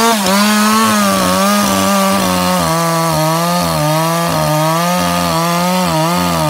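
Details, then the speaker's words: Ported 154 chainsaw at high rpm; pitch wavers and breaks up a few times a second like a rev limiter, caused by a bare chafed spot on the kill wire intermittently grounding the ignition. "we noticed it before it wouldn't really do it while it was running before but the high rpm it would sit there and kind of flutter almost acted like it had a limited coil"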